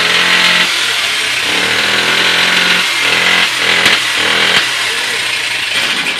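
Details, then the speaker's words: Honda CD70-type motorcycle single-cylinder engine before rebuild: loud, ragged idle with rough uneven beats and harsh rattly top end; many internal faults, bike lacks power on the road, full engine rebuild planned. "इसकी आवाज़ इतनी ज़्यादा अजीब सी क्यों लग रही है? इसे सही करेंगे, इसकी बहुत सारे अंदर फॉल्ट है, चलता अच्छा। भी नहीं है।"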